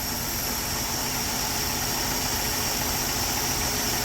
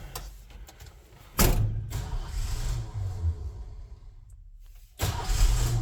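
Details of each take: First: 1968 Ford F100 after tune-up, idle mixture set with air-fuel ratio gauge (was rich, around 11): steady even idle, smooth low hum, no misses or stumbles; running clean. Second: 1968 Ford F100 truck after valve adjustment, first start attempt: two long bursts of steady cranking with no firing because the ignition lock/theft deterrent was on; runs once it is switched off.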